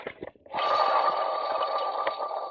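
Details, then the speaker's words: 1996 Mustang GT 4.6 with a failed intake manifold, engine off and pump spun by hand. The water pump gives a thin whir with faint irregular rattles from its insides, a worn bearing; owner decided to replace the pump. "you can actually hear it it's actually rattling that's not me hitting anything that's the insides of the water"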